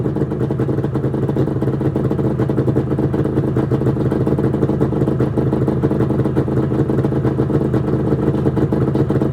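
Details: 1996 Arctic Cat ZRT 600 two-stroke snowmobile, cold start after fuel pump rebuild (Vertex kit), fuel shut off overnight, tilted on tripod: steady crisp crackle, even firing, no misses; fuel delivery sounds healthy, normal running.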